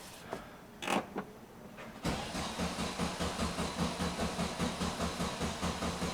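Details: 1971 VW Bus flat-four with newly installed 34 ICT/EPC dual carbs and exhaust, ignition disconnected to prime: short starter bursts then steady cranking about 2.5 beats a second, no catch; fuel not yet reaching carbs.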